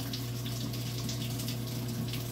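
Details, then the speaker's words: Samsung 19 kg washing machine after repair of a no-fill or slow-fill fault, cold water connected: steady rush of water pouring into the drum over a low constant hum; filling normally. "and how can you listen there the article is already filling"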